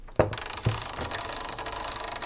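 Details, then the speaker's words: Magnavox D8443 Power Player 1980s boombox cassette mechanism on fast forward after disassembly: fast rattling clicks about twenty a second with heavier clunks while winding; a small piece trapped in the cam's inner ring was fouling the mechanism, fixed by freeing it. "That doesn't sound good, but could be hitting something. Let's stop. Sounds awful."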